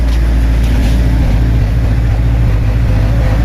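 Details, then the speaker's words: 42 kVA silent-canopy genset loaded to about 20 A, powering 8 butterfly exhaust fans and feed motor at a broiler house, voltage dipping only about 2 V from 384: steady deep even drone, no knocks or rattles; normal under load. "Nah ini genset silent ya. Bunyinya masih belum terlalu berat ya kawan-kawan ya. Masih biasa aja."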